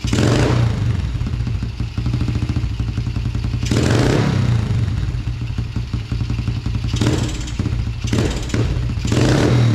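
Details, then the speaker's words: 2000 Yamaha TTR90 single-cylinder dirt bike, carburetor refitted after falling off, airbox off: thumping through repeated throttle blips, picking up a touch slowly on hard opening; slight bog, lean running suspected without the airbox. "that seems okay it's a little bit doggy when you first hit the throttle hard but it doesn't have the airbox on there so it might be running kind of lean yet"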